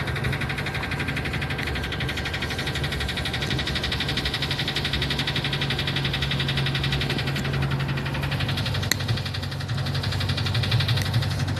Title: Loudest Rod Knock Ever, Typical Ford